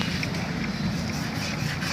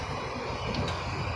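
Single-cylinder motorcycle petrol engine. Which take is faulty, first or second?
first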